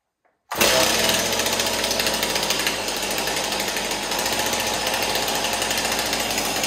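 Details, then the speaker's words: Stihl 026 chainsaw after scored piston and cylinder replaced with MS-260 parts and a decompression valve added, on 45:1 ethanol-free premium mix, full choke: starts instantly into a steady, even high-revving buzz, no sputter or rattle; healthy. "wow that's pretty promising isn't it i flicked the uh the switch way too high up there i actually shut the engine off"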